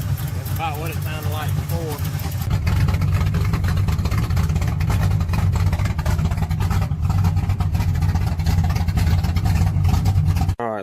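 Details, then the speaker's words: 1987 S10, stock SBC 305 V8 with thumper cam, ticking since a hard top-speed run: rapid light ticking over a lumpy idle that keeps pace with engine speed. Owner suspects a collapsed lifter or wiped cam. Rocker found loose; lifter later found caved in. "I believe it you collapse a looper collapsed the lifter or white glue on my cam hoping it's just a lifter though"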